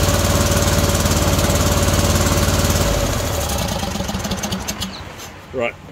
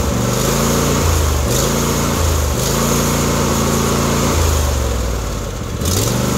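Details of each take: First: John Deere D130 mower V-twin, during ignition coil replacement: uneven chugging at about four beats a second for three seconds then dies; only the right side firing, the other side not going. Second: John Deere D130 V-twin after replacing the intermittent right-hand ignition coil settles into a steady loping idle with a couple of throttle blips; it starts and keeps running cleanly, ignition now firing properly.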